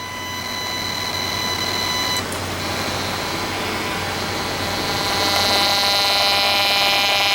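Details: 1996 Monorail 7245 all-in-one PC playing sound: speaker gives only a steady buzzing hum with high whistles and hiss, no real audio; audio output not working properly, cause unconfirmed.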